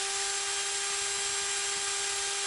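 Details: Test run of a lawn mower spindle after repair. It had rattled from a disintegrated bearing, a frozen bearing and a molten plastic seat. The seat was bored out, and the spindle was pressed into a slightly larger new bearing plus a small bearing. Clean, steady whirr with constant pitch, no rattle or grind; it runs smoothly.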